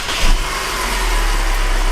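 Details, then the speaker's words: 2013 Mercedes C250 (W204) idling briefly with accessory belt removed: steady low idle, high-pitched whine gone, pointing to belt-driven accessories such as an idler pulley rather than a mechanical fault. "you can hear guys that wine okay is completely gone okay we don't have it anymore so the wine noise is gone so most most likely it's some of the accessories"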